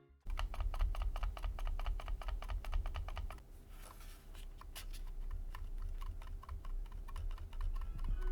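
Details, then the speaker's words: ThundeRobot ML903 wireless gaming mouse shell after one squeeze test: sharp plastic clicks and pops, about two a second, when squeezed; creaking and popping build-quality flaw. "after one of my squeeze tests that I do on all my mice like this well it developed a creaking and popping noise take a listen"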